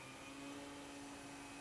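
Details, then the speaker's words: Early-2000s generic Athlon XP desktop, second optical drive spinning up: loud rushing spin with a steady whine near 250 Hz over fan hum, siren-like; loud optical drive spin noise. "sounds like a fire siren or something"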